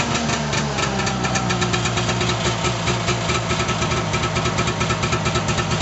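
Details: 1989 Arctic Cat Jag 340 two-stroke snowmobile, all original, cold start after at least 10 months sitting, about -22 °C overnight; choppy ringing idle with quick regular pulses, slightly uneven while cold but running fine; normal cold idle.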